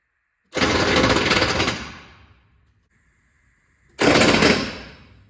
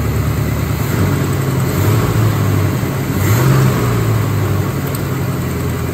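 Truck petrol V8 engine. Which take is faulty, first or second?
first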